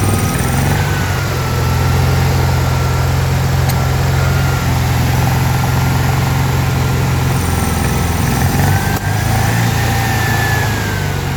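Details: Car with Weber IDF 40 carburetors clogged by ethanol fuel, reassembled, running on gas poured in due to weak fuel flow: steady rough low rumble with sharp intake pops; suspected too lean, idle adjustments being opened.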